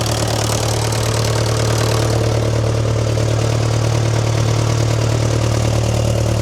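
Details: Old positive-earth, dynamo-fed tractor diesel, jump-connected to crank faster: steady low idle, even beat about three per second, no missing or knocking; normal diesel idle.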